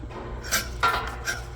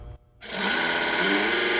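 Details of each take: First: Twister T4 cannabis trimmer, stainless version, paper cut test during pre-run inspection: short dry rasping swipes as the blades slice paper cleanly, so the blades are sharp and making contact. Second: Twister T4 cannabis trimmer, stainless version, blades powered on under the motor during pre-run inspection, before the blade contact is adjusted: the motor spins up to a steady, bright metallic buzz, then winds down.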